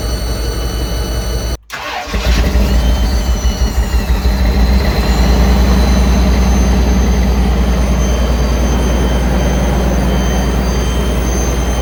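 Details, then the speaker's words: Ford Bronco after a full engine swap, cranking then idling with a thin high whine; owners suspect the smog pump whining through open ports, delete not yet installed, unconfirmed. "Did you hear that thing whining like a wet one or what? Hear that thing whining. That's sick. So, we think that is a smog pump"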